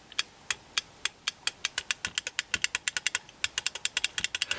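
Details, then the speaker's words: 12 V relay driven by a Darlington transistor circuit, switched by touching the electrodes with both hands: crisp, sharp clicks in quick uneven bursts, about six a second; normal relay switching. "i do that now with my two hands you can surely hear that relay click"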